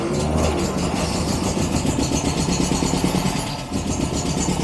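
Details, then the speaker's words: 1949 MG TC engine on choke just after starting cold, following exhaust leak repair: lumpy, uneven stumbling beat with occasional misses, not running on all cylinders; plugs still to be cleaned and points checked. "Still not running great. Still need to clean the plugs, check the points."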